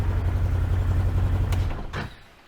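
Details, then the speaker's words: 2014 Can-Am Commander 800 idling with a loose clattery rattle under the firing beat, then shut off; owner attributes the rattle and squeak to the primary clutch, later found something missing, before cleaning and regreasing the one-way bearing. "so i'll just start it up for you guys and let me know if you can hear the rattling hear that sound"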